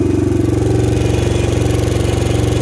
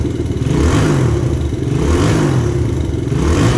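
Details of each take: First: 2000 Honda XR100, blown top end, ice cold, kick-started, smoky with low compression: single thumps with fast hollow clatter on each firing pulse; piston slap from worn top end. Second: 2000 Honda XR100 with a BBR 120 big-bore kit, cold start the next day with an ice-cold pipe during break-in, some oil burning off in the pipe: three quick revs, then a steady, even low-thump idle. Normal cold start.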